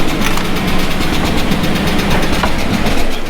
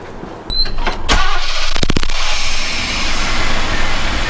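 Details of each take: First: Chevy pushrod V8 truck after valve adjustment, restarted after sitting: quick, light ticking at engine speed over a rough idle, loud valve clatter probably from one bank. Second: Chevy truck restarted after valve lash adjustment and timing reset: cranks, catches quickly, then settles into a smooth, steady idle with no misses or ticking; running right.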